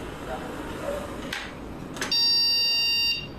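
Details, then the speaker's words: Motherboard with a broken trace between memory slot and CPU (damaged while removing the cooler), powered on with the memory module removed: clicks then a long buzzy beep, repeating more times, indicating no memory communication, no video. "A mesma coisa. Olha lá. Aí ele já tá apitando muito. Apitou mais vezes."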